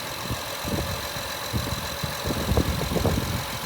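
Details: Honda Ridgeline V6 with 225,000 miles, oil recently changed, idling under the open hood: steady, even low idle with soft irregular thumps underneath and no ticking or knocking; healthy high-mileage engine.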